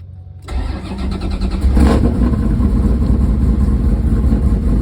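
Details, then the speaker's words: Chevrolet Camaro IROC-Z with a 383 V8 (forged bottom end, aluminum heads, 10.8 compression, ~250° cam) on Edelbrock Pro-Flo 4 fuel injection, cold start at 36° air and 45° coolant: brief crank, fires almost instantly and settles into a steady idle; normal cold start. "And just like that, it's fired up. Sets up, brings up the idle like it should."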